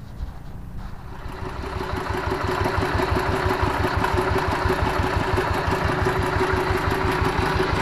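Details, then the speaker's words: Single-cylinder diesel tractor that had been smoky, weak and hard to start in the morning, after its worn plunger was replaced: catches at low throttle and settles into an even thump about three beats a second. Healthy idle after repair. "ini sudah kita ganti ya sekarang ini di mana gas kecil aja sudah bisa nyala ya"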